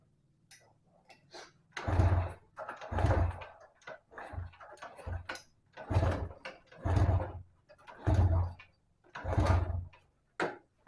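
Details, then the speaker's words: Yamaha Vega ZR motorcycle left unused a long time, kick-started before repair: repeated short low chuffs, engine very hard to start and never catches. "Ya, jadi kondisinya seperti itu ya, dinyalakan juga susah karena kondisinya memang sudah parah, karena kendaraan ini itu tadinya enggak digunakan ya, ataupun enggak dipakai, jadi nganggur terlalu lama."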